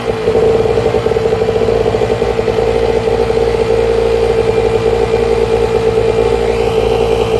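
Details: 1000W two-stroke generator (6ZHRS.0641NL, TailGator-type) on a test run after the pull cord was replaced and the recoil starter regreased. A constant buzzy note holding an even speed, no surging or misfires: running normally.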